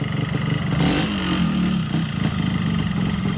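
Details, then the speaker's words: Yamaha RX-King two-stroke with rough engine noise: an uneven knocking beneath the buzzy exhaust is heard as a worn connecting rod; engine to be torn down with con-rod replacement expected. "Oke bosku, kita mau dengarkan suaranya ini. Nah, bisa kedengaran kan suara stangnya?"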